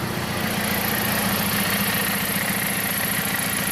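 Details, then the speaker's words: 2007 Jeep Compass four-cylinder after soldering and shrink-wrapping the broken cylinder 1 ignition coil harness wire: even, steady idle with a regular low pulse, no stumble; misfire fixed, no trouble codes. "let's fire it up i'm sure this problem is fixed stand for codes and no dtc's beautiful"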